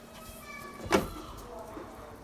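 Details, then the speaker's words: Door swinging after lubricating hinges with a few drops of oil: quiet, one soft bump, no squeak or sticking. "you can hear nothing so now you can sneak easily at any time"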